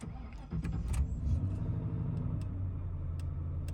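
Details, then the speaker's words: 1995 Ford Crown Victoria LX, low mileage, on factory shocks: a quick crank, then the engine catches and settles into a low, even idle with no knocks or stumbles, a healthy start. "it starts up nicely"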